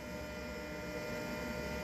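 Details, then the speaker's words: Allpowers S2000 Pro portable power station powering a roughly 500 W heater during an AC drain test: steady, loud electrical hum with fan noise, louder at the front, at unchanged wattage; cause of the loud hum under load unclear. "but it is making quite the audiable sound now don't know why but there's quite the hum and like in the front you can hear it even more still pulling the same wattage"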